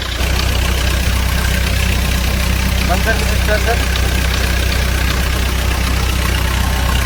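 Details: Bobcat diesel loader that would not start because the fuel pump had no power, after replacing a blown 15 A fuse so the pump works; steady, even idle with a low, unbroken rumble and no knocks or misses. Normal idle.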